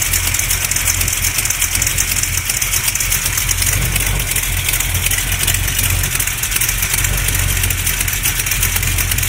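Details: Small-block Mopar 360 with xe268h cam, KB107 pistons, stock valvetrain, new lifters and main, cam and rod bearings, steady idle with a fast sharp ticking knock every rev; owner says not an exhaust leak, source unclear.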